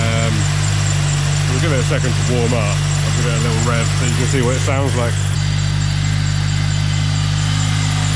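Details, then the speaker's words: Rotrex-supercharged Toyota Celica warming up after sitting a few weeks: steady, even low idle drone with light belt chirping from sitting; engine running normally. "So the engine sounds lovely. Little bit of a belt noise, but that's just because the car's obviously been sat for a few weeks. Nothing to be worried about with that. Engine super healthy."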